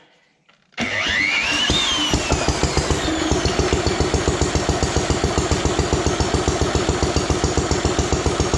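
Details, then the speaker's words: Ronaldson & Tippett old single-cylinder engine, owned nearly 25 years, started with a drill: catches right away and settles into a steady, regular chuff of about two and a half beats a second, running cleanly. "Yep, she runs. That's pretty cool, in my opinion. Owned it for so long, never been able to hear it run before."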